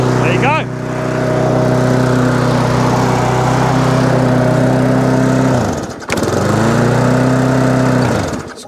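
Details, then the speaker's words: Briggs and Stratton lawn mower engine that would not start, running after quick carburetor clean and main jet refit, air filter removed; steady strong note, one brief dip then recovers smoothly; runs normally. "stops cuts does what it should do"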